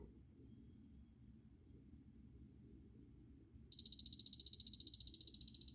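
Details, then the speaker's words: Orthofix Physio-Stim Lite 314L after fuse repair and cleaning, output picked up through an amplifier: faint hum then steady high buzzing tone pulsing evenly nearly four beats a second; output working normally. "yep seems to be working all right so that's how you do it as you can see the restoration was well worth the time spent"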